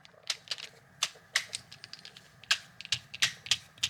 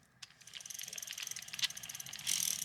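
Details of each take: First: Mid-1990s Shimano Curado Bantam CU 201 left-hand baitcaster, before restoration: handle turned by hand gives uneven little chirps and clicks with no steady tone; handle pretty squeaky and sounds crummy, owner may replace it. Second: Mid-1990s Shimano Curado Bantam CU 201 baitcasting reel just reassembled after cleaning, greasing and new bearings; the handle turns with fine, even ticking and no grinding. Smooth retrieve, though the owner later suspects a slightly bent spool shaft rubbing.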